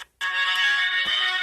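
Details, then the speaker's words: Melody in Motion music figurine playing through a replacement speaker; the old speaker was the fault. Clear, undistorted, steady tune with no crackle or buzz. Normal playback. "The new speaker's playing now. And that was the issue."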